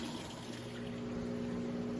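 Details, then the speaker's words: Maytag washer switching from wash to drain: steady pump hum with rushing, gurgling water as the tub empties quickly; normal drain. "All right, and it is switched over to draining. You can hear it drain the water out nice and fast."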